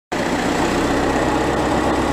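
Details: VW Golf 1.9 TDI Pumpe-Düse, around 2007, after removing injectors and fitting new Viton seals for crank-no-start: starts straight away into a steady even diesel clatter, no misfire or hunting, clean idle.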